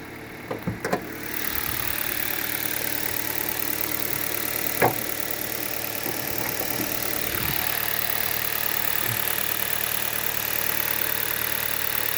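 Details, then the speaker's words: 2011 Hyundai Solaris G4FC, 166,000 km, cold morning start at 15 °C, new reinforced chain, phaser and valve; raised warm-up idle runs evenly with no knock or tick, possibly masked by high rpm: normal cold idle. "вот так работает на холодную особо не слышно никакого стука Может потому что обороты повышенные прогревочные"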